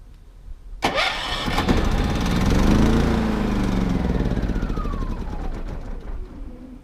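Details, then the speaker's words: Three-year-old RV generator, remote-started after running out of gas last time (auto-chokes, retries up to five times): starter cranks, catches, engine stumbles and surges unevenly then winds down; fuel-starved, hard start. "okay so you hit the button one time it hasn't been run for a while it will automatically restart itself I think up to five times and it'll choke itself so you don't have to worry about that"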